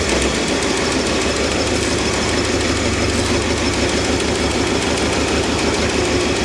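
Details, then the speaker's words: Old Ford 260 V8 running poorly oiled lifters with ATF and Marvel Mystery Oil added, accelerator pump also leaking: a rough idle with fast, irregular tapping about three times a second. A little knock; new lifters planned. "Alright, so she's got a little knock and she's not oiling very well."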